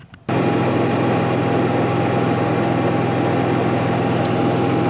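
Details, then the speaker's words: Newly installed Onan 5500 RV generator in a 1976 GMC Motorhome, started for noise and temperature readings: fires up and settles into a steady even hum, constant tone, no knocks or misses; healthy running. "i'm gonna start it put the front panel on let it run i'll get some noise readings and temperature all right"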